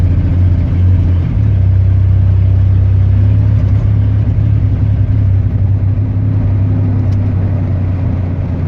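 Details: Chevy 4.3 V6 at idle: a heavy, low drone with an uneven, stumbling firing rhythm; sounds like a cylinder misfiring.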